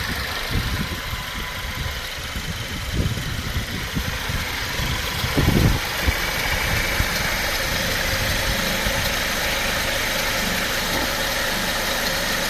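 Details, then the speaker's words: Mercedes-Benz C250 W204 after timing chain replacement, restarted after topping up empty power steering fluid; steady even idle, smooth low hum with no rattle or ticking, running normally and much better. "Now we're gonna start up again. Okay, start up again. That's much better."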